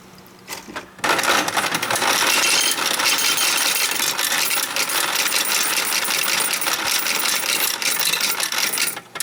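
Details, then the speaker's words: Royal Sovereign FS-44P coin sorter/counter sorting into tubes with auto-advancing rows; constant coin jingling with light rapid clicking underneath; the clicking is normal, the sorter working properly, total $44.10. "But again, you hear that clicking sound when it's running? Again, that's normal."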